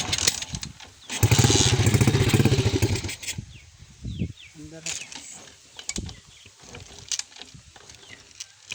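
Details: DIY-restored motorbike started after a broken wire was found: engine catches and runs with a fast, rough putter for about two seconds, then quiets; starts and runs after the wiring fix.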